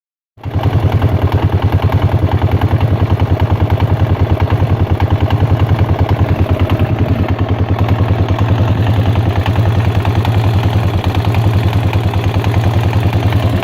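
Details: Yamaha XT 600 E single-cylinder idling steadily with a hard, evenly spaced clatter at roughly three per second. The owner does not know where the strange noise comes from.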